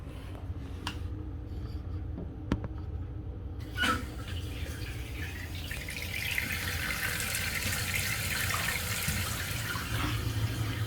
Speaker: Turn your water all the way on. Just give it a few seconds until it fills up.